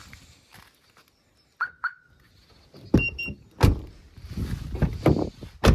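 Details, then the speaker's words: Jeep Grand Cherokee 2.7 CRD, driver's door won't unlock after broken wire repaired: other locks whir and clunk but driver's door stays silent; relay faulty, needs replacing. "Ні, не вдалося зробити. Значить, реле потрібно замінити."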